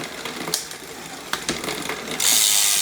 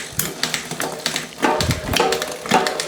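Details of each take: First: Trek hardtail MTB, about five or six years old and never serviced, 1x drivetrain being adjusted: light, irregular clicking and chain chatter about three per second while pedalling as the rear derailleur overshoots outward because its high limit (H) screw is backed out too far. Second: Trek 1x hardtail MTB, unserviced 5–6 years, Shimano rear derailleur after service and L-screw adjustment, on the stand: freewheel ticks steadily, then crisp single clicks as the chain steps across sprockets; clean, quiet shifts, working lovely.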